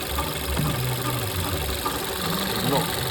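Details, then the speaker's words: VW Golf 1.4 TSI running at idle: steady idle with rough gravelly whir underneath that does not change, from the worn water pump bearing; water pump to be replaced. "Is the water pump, and that noise is coming from the water pump bearing. So in here, that's had enough."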